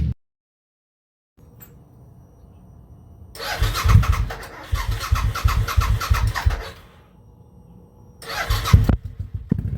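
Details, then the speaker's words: 2003 Suzuki V-Strom DL1000 that had not been getting fuel or starting, now running after a new fuel pressure regulator, a fuel pump recheck and a new relay: it catches and holds a low, steady idle between sharp throttle blips, picking up cleanly with no misses. "I'm just explaining how excited I am the bike is running after all this time and effort."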